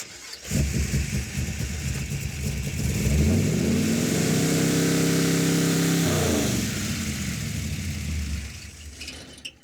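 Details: Car engine with vacuum advance, running again after two failed ignition boxes. It catches, climbs smoothly to a high steady rev, holds clean without stumbling, then eases back down, running healthy.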